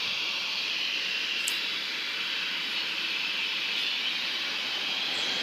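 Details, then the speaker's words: Sinfin, Derby UK waste incineration plant, Sunday 6 May 2018, recorded at the closest access point to the noise: constant high-pitched squeal/hiss like steam being vented, holding at one level; source unknown. "it's currently emitting a consistent high-pitched squeal as you can hear like steam being vented"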